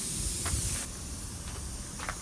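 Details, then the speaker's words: Screw just pulled from a tire's tread puncture: sharp hiss of air escaping through the hole, dropping off after the first second, with faint handling noises — tire air leak from puncture, to be plugged with a string plug. "There's the hole. You can hear the air coming out. That's the screw out."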